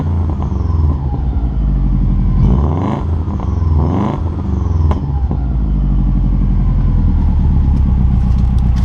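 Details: 2003 Subaru WRX boxer after turbo oil drain gasket replacement, heard from the rear: steady even low idle rumble with a brief blip midway, no knocks or ticks; running well.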